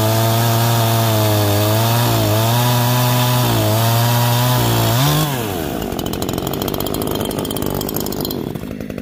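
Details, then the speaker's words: Neo-Tec NH843 chainsaw, new, first cuts: full-throttle warbling, burbling four-stroking under the cut instead of a clean scream, then drops to idle; high-speed mixture too rich. "a oh so in those couple of cuts it ran good but of course it's four stroking really bad"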